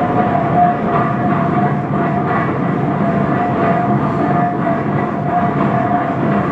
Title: 1917 Minneapolis 40-80 Tractor First Rolling Over After Rebuild